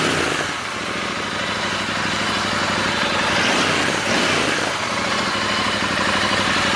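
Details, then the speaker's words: Royal Enfield Interceptor 650 twin, side panel off during the DNA air filter swap: steady even idle about three beats a second with strong intake hiss, sounding unchanged; normal idle. "ก็ลองฟังเสียงดูนะครับเหมือนเดิมไม่มีอะไรเปลี่ยนแปลง"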